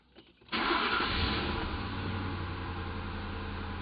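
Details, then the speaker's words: Ford after MAF sensor fix for P0171/P0174 lean codes, fuel trims and KAM reset: brief crank, catches cleanly into a steady, even, slightly fast idle around 1100 rpm with no misses or hunting while it relearns idle. "reading nice now it's at a higher Idol right now you can go ahead and look at the RPM too if you want to guys want to see that"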